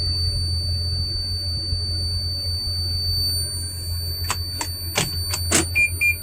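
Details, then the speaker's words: Van started with brake pressed and push-button until it shows ready: a thin, steady, very high whistle with a few chimes, lasting until the vehicle is turned off; high-pitched whistle, source unidentified. "hi i'm in the vehicle and i wanted to let you hear this high-pitched whistle sound that comes when i turn it on"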